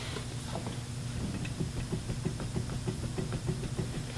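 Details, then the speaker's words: 2004 Toyota Highlander, wheel raised and rocked by hand: quick, dull clunks about three a second from side-to-side play, diagnosed as a bad wheel bearing after the customer complained of a noise while driving. "that side to side's got play and that's erupted down so that is a bad wheel bearing"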